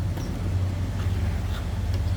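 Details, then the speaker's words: 1970 Chevrolet Chevelle Malibu, numbers-matching 350 L48 V8, 70,391 miles believed original, new fuel tank, starts instantly; deep, steady V8 burble at idle in neutral, even firing, no misses, knocks or ticks; normal healthy idle. "And every time I've started this car, you just barely turn that key and it fires up. It does have a new fuel tank you're going to see in the underside pictures. Good sounding car."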